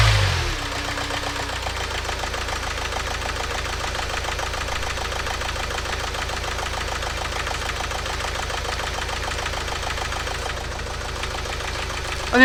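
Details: Renault Trafic diesel started after EGR valve check still settles into an uneven clattering, loping idle; rough running from a misfire, not the EGR valve; glow plugs, possibly water in fuel, or an injector suspected.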